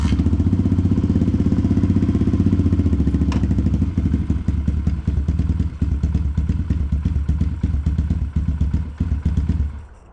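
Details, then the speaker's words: Apollo RFZ X18 125 pit bike after fitting a new NIBBI PE22 22 mm carburetor, screw turned all the way in then a couple turns out: even, regular single-cylinder thump about four beats a second settling into a steady good idle before cutting out. "Now it's sitting here idling good. Sounds great."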